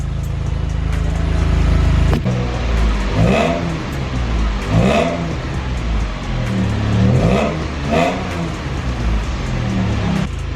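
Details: Car that had not run for over a year, after a leaking fuel-pump pulse damper was resealed with a rubber-and-aluminium ring: steady low idle with about four clean, even rev blips rising and falling smoothly without misses; normal running and revving.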